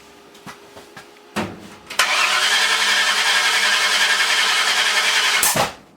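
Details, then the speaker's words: Ford 302 with a new cam installed in a truck, being fired with firing order and plug wire placement uncertain (possibly 180° out). A few clicks, then hard cranking with a loud roar ending in a sharp bang. Backfire from incorrect ignition timing. "Whoa! That was loud. Yeah, you're telling me. Getting closer. Maybe not. Now I gotta take and move them all back one plug wire."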